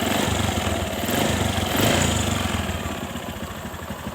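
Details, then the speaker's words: Honda Supra 125 carburetted single, after piston replacement and valve work, light throttle, noise said to come when hot: a coarse, uneven rattle about four times a second over the beat; loose, worn balancer bearing. "di sini ada suara masih ada suara gledek gledek gledek ya karena apa Karena suara gledek-gledek ini Itu suara bandul di bagian laker bandulnya itu oblak sehingga posisi putaran mesin menjadi goyah ya"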